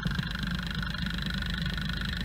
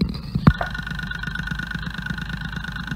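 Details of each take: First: Ford Fiesta with gasoline direct injection, overfueling, rail pressure decaying between injections, unstable idle: through accelerometer stethoscope injector 2 gives a dull, muffled tick versus crisp injector 1, pointing to a mechanically sticking injector. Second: Ford Fiesta direct-injection engine, accelerometer stethoscope on injector number 1 body: crisp evenly spaced ticks, about ten a second at idle; healthy injector compared with less crisp number 2 during overfueling diagnosis.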